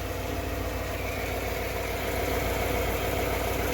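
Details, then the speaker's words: 1996 Ford 5.0 V8 from a Bronco, being fitted to a 1978 Ford, first run with harmonic balancer and crank looking fine: smooth regular idle with no misfire, tapping or rattle, no oil leaks; healthy. "good. Now we got it running. The harmonic balancer looks fine. I don't think the crank took a damage at all."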